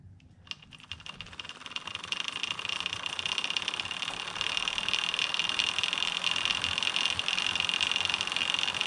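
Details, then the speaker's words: Homemade short-wheelbase bike drivetrain spun by hand with HDPE chain keeper fitted near idler: fast dense chain clatter and bright metallic hiss, about 10 dB louder than without keeper; loud chain idler noise. "all right let's put the chain keeper on and see if it sounds any different chain keeper is this hunk of plastic all right Jane he burr is just some high-density polyethylene and it doesn't contact the chain anywhere but listen might be a little loud"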